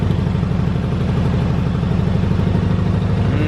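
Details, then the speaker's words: 1985 Yamaha Virago 750 V-twin after riding: lumpy, uneven idle with irregular soft exhaust pops, idling above its earlier 500 to under 1000 rpm; owner suspects it is running lean or that leftover Sea Foam in the fuel is to blame, unconfirmed. "you can hear her popping a little bit and when i came back in after riding she was idling at about 500 under a thousand and right now she's uh running above that"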